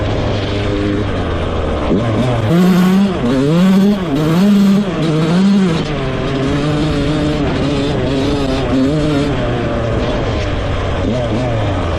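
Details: Rebuilt 2001 Yamaha YZ125 two-stroke, ridden: crisp, pulls hard through the gears without stumbling or bogging; jetting spot on, air screw maybe slightly off, slight takeoff bog if clutched wrong.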